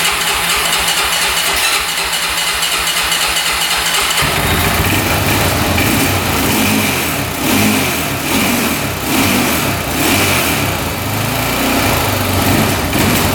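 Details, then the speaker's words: 2004 Honda 400EX quad, after carb clean, valve adjustment and a new spark plug: the single cylinder fires and revs, but each blip sags and stumbles instead of picking up; still bogging, new plug didn't fix it. "Well, new plug didn't solve our problem."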